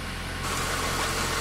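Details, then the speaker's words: 1997 Honda Accord EX 2.2L after ECT sensor work for P0118 and high idle, bleeding coolant while warming up: short, steady idle with an even low hum, no knocks or misses; normal warm-up idle. "now typically as the vehicle's warming up you won't really see any bubbles coming out maybe a couple as soon as you first fire it up but as it starts to warm up you won't see much if anything until that thermostat opens up"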